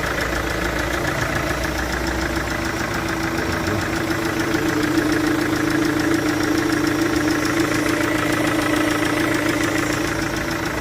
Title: Chevrolet VCDI-Motorgeräusch mit Zylinderkompressionsleck von der Einspritzdüsendichtung #shorts